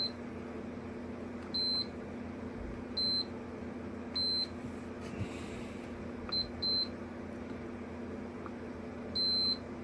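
Short high beeps come and go irregularly over quiet hum as the probes touch, each one signalling continuity between the test points.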